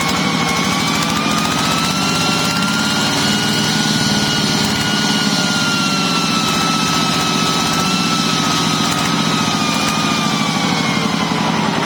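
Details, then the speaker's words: Yanmar TF105LM diesel tractor that revved by itself and would not stop, governor stuck or worn, after a temporary fix. A steady, even beat holding one speed with no surging or runaway; running normally, problem gone. "นะครับหายแล้วนะครับก็ยามเลยนะครับว่าการทำวิธีนี้ก็คือแก้ปัญหาเฉพาะหน้านะครับ"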